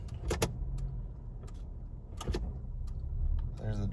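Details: 1996 Isuzu Trooper automatic, about 220k actual miles: low steady idle, then sharp single knocks as it takes drive; mild engagement clunk, seeming from the transmission area, owner unsure if diff slack.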